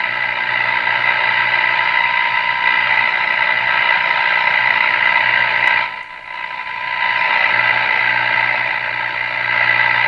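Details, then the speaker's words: Northern Electric Baby Champ AM radio during IF transformer alignment: steady high buzzing tone with harsh gritty overtones and hiss, briefly dropping out; badly distorted output, something else suspected to need attention. "that's a terrible sounding signal to do this"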